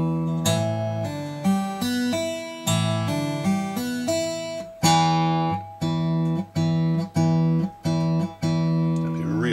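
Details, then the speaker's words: Breedlove Premier 12-string acoustic with 6th-string rattle, previously tuned down to open C#, now back in standard tuning with neck relief and action checked: full chords ring cleanly, no buzz or rattle; hard strumming may rattle slightly. "strum hard you might get some rattle but you know normal play a plectrum a pick"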